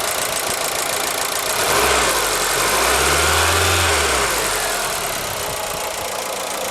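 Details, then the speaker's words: ZAZ Forza, 2,500 km, oil changed to 5W-40 synthetic, warm idle after 5 minutes; fast even light ticking about four per second from one under-hood unit, briefly stops on throttle blip; suspected hydraulic lifters or injectors, unconfirmed. "Прошло минут 5, двигатель прогрелся. Звук идет вот от этого узла. Из двигателя все тихо."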